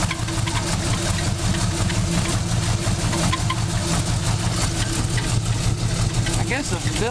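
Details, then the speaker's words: 1947 Cadillac Series 62 with a 350 flathead V8 at idle: a lumpy idle with a faint steady squeal and a few chirps. The squeal comes from a loose drive belt, and it sounds better once tightened. "squealing a little bit yeah it looks a little loose i need to tighten up on that"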